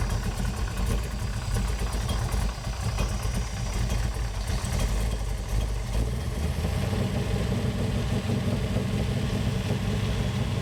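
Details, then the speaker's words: BluePrint 540 ci big-block Chevy with new Holley mid-mount serpentine accessory drive and new fuel system, first start: deep heavy V8 rumble idling very low and uneven, barely wanting to idle; cause unclear, then improves; alternator not charging. "barely wanting to idle like barely idling yeah I don't think that's Idol in super high"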